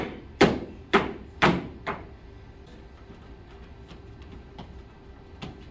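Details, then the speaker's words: Treadmill after reseating the anchors that hold the step saddle down: dull thuds from stepping on the deck with no squeak or creak, the deck now solid and quiet. "Noise gone. So it was just those anchors that hold the step saddle down."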